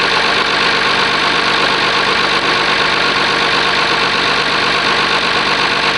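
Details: Oliver 1850 diesel tractor, genuine cold start at about 45 degrees, preheater uncertain: loud clatter settles into an even idle with no stumbling or knocking. Normal cold start and idle.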